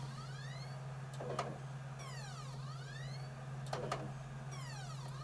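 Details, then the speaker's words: PS4 Pro disc drive with a PS5 disc (Spider-Man) inserted: motor whine ramps up and falls away about every two and a half seconds, repeatedly spinning up and down, failing to read the disc; it later sounds like ejecting, then restarts. "right you can hear what's happening it's ramping up and going down ramping up and going down"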